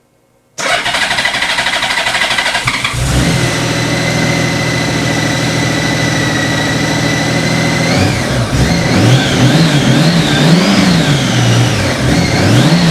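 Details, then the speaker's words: Crashed Honda Goldwing with fresh oil, cleaned plugs and fresh gas, bank angle sensor reconnected and propped on the forks: cranks briefly, catches and settles to a steady even idle with light throttle blips; runs cleanly. "Now that bank sensor is in. Fingers crossed. That sounded a little better."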